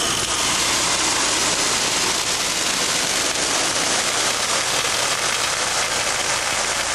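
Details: Control valve test rig with the back pressure removed, so the flow stays a vapour-liquid mixture downstream. A loud, steady, rain-like hiss with no pulse or pitch: cavitation and flashing noise.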